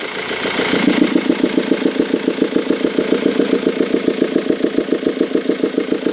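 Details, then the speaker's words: 2002 Ford Mondeo 2.0 TDCi 115 diesel at idle, air box removed: sharp regular clatter about 3.5 knocks per second; no power loss or smoke, intake valve not closing properly suspected (carbon or bent valve). "faire priori soupapes d'admission qui ferme mal donc on va regarder ça"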